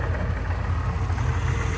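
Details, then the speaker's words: Pontiac Grand Prix, cold after long sitting, steam from the exhaust: steady low idle with a faint pulsing throb and no sharp knock. Unidentified idle noise; the supercharger is suspected but not confirmed, later judged fine. "The only thing I don't know is, what is this noise? I can't tell. I don't know if that's the supercharger or"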